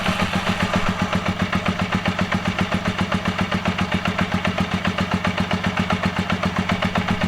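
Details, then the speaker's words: Honda CB250N Superdream from cold, choke pushed in after half-choke start: even steady putter at just over 1,000 rpm, spec about 1,300; normal cold idle, slightly slow as not yet warmed up. "that's idling a little bit slow at the moment, just over 1,000. Push the choke right in. It should be about 1,300."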